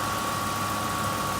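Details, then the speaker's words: 2005 Ford F-150 V8 Triton work truck idling after alternator replacement, AC on high and lights on, charging about 14.1 V: steady even idle, no knocks, whine or belt chirp, faint constant high tone; all working. "so as you can see everything's tested it's all good it's all run it's all working"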